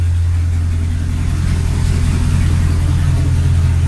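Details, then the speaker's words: Nissan Titan at idle with both rear cats deleted and the front passenger cat gutted itself: loud, deep, raspy rumble with steady low pulsing, open exhaust as the back pipes are disconnected. "The back pipes are disconnected."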